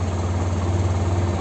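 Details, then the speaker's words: TVS Apache RTR 160 BS6 after throttle body cleaning, previously misfiring and stalling on throttle release: steady low even idle holding about 1,500 rpm, no stumbles or skips, no check engine light; running cleanly. "Missing तो नहीं कर रही है देखो RPM आ गया day प first class"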